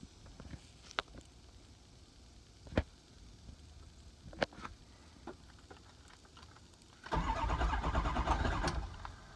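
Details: 6.0 engine: the starter spins it at an even pace for about two seconds, but it never catches or fires; a crank, no-start.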